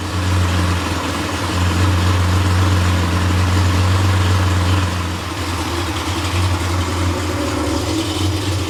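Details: Freshly rebuilt Porsche 911 air-cooled 3.0SC flat-six at 3.2 spec on test stand, cold start: steady fast idle, even drone, then dips slightly lower as auxiliary air regulator closes; idle should rise to mid-900s warm; loose muffler baffle may resonate. Healthy.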